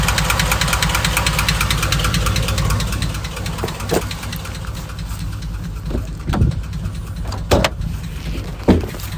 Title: 2005 Chevy Silverado red knock , lifter tick , piston slap ?